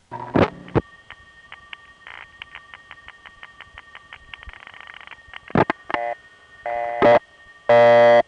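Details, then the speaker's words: 1974 telephone line recording from Belle Harbor, Queens, No. 1 crossbar office, call routed through crossbar tandem to a panel office: steady train of short tone pulses, about four a second, with definite rhythm; normal panel revert pulsing. "but to a panel it's always revert of false and the panel revert of pulsing has a definite rhythm to it"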